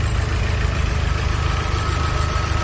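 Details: Fox at idle: steady low idle with a thin, constant whistle coming from the back of the engine; cause not yet found.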